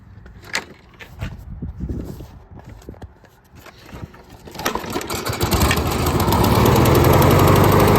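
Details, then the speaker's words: John Deere JS28 self-propelled push mower after drive belt replacement with factory GX23501 belt: some clatter, then engine catches and settles into even, steady run; front drive wheels spin as they should. "It works as it should. Wheels spin nice."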